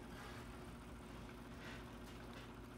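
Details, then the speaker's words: Sony EV-S700U digital video cassette recorder fast-forwarding a tape: quiet, steady low whir with no catches or squeals, so the transport spins normally. The unit's fault is on eject, where tape has been left sticking out. "can fast forward through it. That will work."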